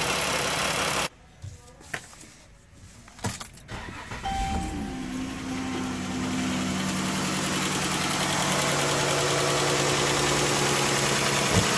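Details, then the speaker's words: 3.6 Pentastar V6 van before repair: starts and idles with a light, fast top-end tick from rear head (bank one); broken roller rocker arm and camshaft found, fixed by replacing camshaft. "So guys, as you can see, yes, it is coming from bank one. I'm getting ready to take bank one apart, take it totally apart. There's no reason for me to bench the bank two here, when it's ticking from the rear head."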